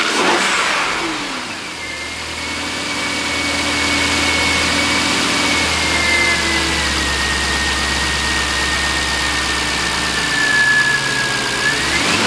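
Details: 2003 Jaguar XJ8 V8 with an automatic and 138,000 miles, rear-damaged and being parted out, recorded from a tripod camera: the engine catches at once, settles to a steady even idle and revs cleanly with no knocks or misses. It starts and runs excellently.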